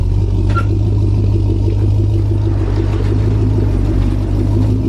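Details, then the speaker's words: 1000+ hp Chevrolet Colorado with built motor on first start: loud deep rumble with a rough ticking puff over the exhaust note from a bad exhaust leak. "here we got a bad exhaust leak"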